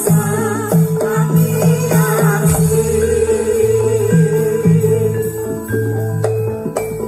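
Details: Joss karaoke powered stereo speaker after repair of a hum-only, no-sound fault: music plays clean and full with no underlying hum or buzz; the amplifier output is normal.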